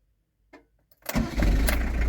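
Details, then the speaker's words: Camper van started for the first time since being collected from the garage, after sitting unused for a while, then left to warm up. A brief crank and it catches at once into a steady, even idle: a clean start. "vous avez vu comment il est bien démarré"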